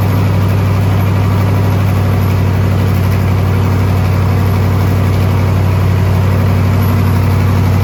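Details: Twin-turbo SBC 350 V8 rat rod, freshly built, first start, oil pressure held: heavy low rumble with fairly regular knock about four per second at idle; owner suspects a valve hitting or a welded header piece dropped in.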